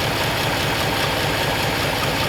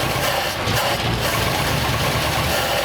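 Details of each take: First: 1939 Ford Coupe idling after replacing a bad fuel pump, which may have had raised pressure overflowing the carburetor: even, lumpy idle with steady rumble and no stumbles or miss; normal idle. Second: 1939 Ford coupe V8, first run after extra wiring removed: runs steadily but not smoothly, with an uneven beat under the exhaust note; rough running, cause not known.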